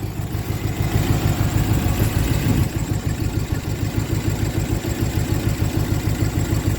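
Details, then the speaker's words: 1966 Ford Galaxie 500 LTD with a tired 360 V8 (originally a 289 car), C6 transmission, likely high miles: lumpy, uneven idle with steady low chuffing, slow to respond; worn engine with heavy blow-by that worsens as it warms, burns oil. "it just like I said tons of blow by as it warms up it'll really start po pumping out Burns oil slow to respond"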